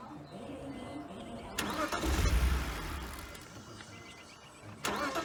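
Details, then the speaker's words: 1999 BMW 328i just after a new fuel pump, battery and air intake hose: catches, revs unevenly, then sags toward stalling and needs throttle to keep running, so it won't idle. The owner suspects a missing cylinder or leftover bad fuel. "dude there you go it'll start it up it'll run it won't idle uh i got to keep the keep giving it the gas to keep it running so we either got a cylinder missing or we still got a bunch of bad fuel in there"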